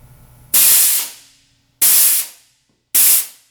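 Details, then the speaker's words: Air Star 30 dual-head oilless compressor safety valve test during maintenance; valve was hissing when touched beforehand, then pulled: three sharp air bursts each cut off cleanly with no trailing leak, valve reseats properly. "okay it's seated back the gods were with us"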